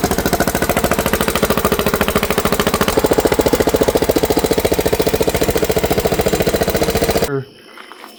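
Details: Riding lawnmower's 19.5 hp Briggs & Stratton engine, sat for years: steady starter churning about three and a half turns per second for seven seconds, never catching or firing; suspected no fuel passing the fuel filter, unconfirmed.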